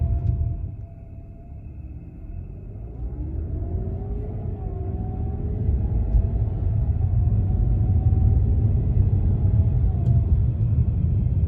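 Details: 2011 BMW E92 328i pulling away from a stop: a thin whine rises and falls with engine speed over a low rumble; it persists after replacing the alternator, belt, belt tensioner, and the power steering pump and fluid.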